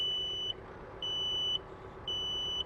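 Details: Tractor 3-point hitch assist engaged, activation button held while pressing forward/reverse so tractor creeps slightly: even high-pitched beeps, about half a second on, half off, repeating steadily; normal hitch-assist warning beep.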